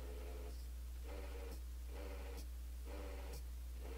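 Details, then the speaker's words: DIY powerwall 18650 battery charger fan after switching input from 220 to 110 V: weak, uneven whir pulsing about four times a second over low mains hum, barely moving; failing cooling fan, to be replaced. "as soon as I turned it on this fan and I'll just plug it in real quick Kartik I don't know if you can hear that or not but it does not sound good it's barely moving can you hear that thing"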